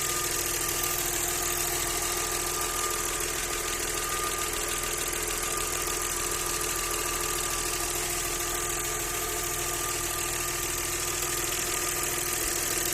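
Steady idle with a fast, fairly light knocking tapping along, roughly three per second, no revving to show how it follows speed.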